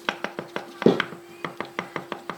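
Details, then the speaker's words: 2013 Kia Rio; new Fenox rear beam shock absorbers give hollow knocks about six times a second while driving, like stones rattling in the beam; refitting the old original shocks ended the noise. "так стучат а стук на ходу как будто балка полая а сзади балки груда камней там гремит ту-ту-ту-ту ездить вообще невозможно"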